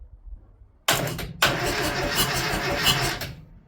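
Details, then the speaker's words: Classic Mini after new relay and cleaned earthing point: starter spins engine over freely with steady, even whirring without catching, first time turning over in 10–11 years; normal cranking, but key-start wiring still faulty. "It's great because that's the first time in 10 11 years we've heard the engine turn over. which is amazing."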